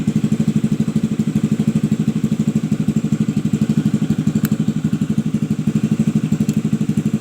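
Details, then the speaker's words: Honda Vario 110 (old model) after the faulty non-original Fukuyama regulator/rectifier was replaced: steady, even putter at idle with no misses, knocks or surging. With the new regulator supplying current it runs normally, while the old one left it dead. "Nah, ini sudah dialiri setrum ya dari regulator sini ya teman-teman. Dari regulator ini yang saya ganti."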